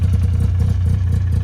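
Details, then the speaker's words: Ski-Doo Skandic two-stroke snowmobile bought not running, odometer reads 7,000 miles, started about three days after purchase: a steady, even low burble with a quick regular beat and no knocks or rattles; smokes heavily, oil light on; normal idle. "Go ahead and start it up right here. Look at that. She purrs. Pretty sweet."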